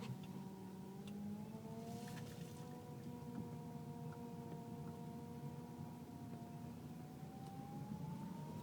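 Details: Car with loud whining when turning left or right below 10 mph, less at higher speed; fluid full, no leaks or foam, belt normal: steady whine rising in pitch as wheel turns; power steering noise, rack and pinion suspected, not confirmed.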